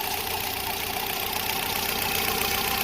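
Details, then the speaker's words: VW EA111 engine (Fox/SpaceFox) at idle, water pump and oil leaks present: constant hissy, high-pitched rushing noise over a faint beat; owner suspects the water pump bearing by the timing belt, not confirmed. "parece que ela vem dali ó da bomba d'água lá naquele rolamento ali embaixo"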